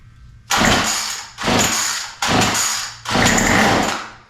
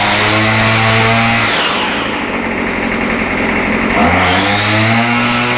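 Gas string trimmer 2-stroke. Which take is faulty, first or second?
first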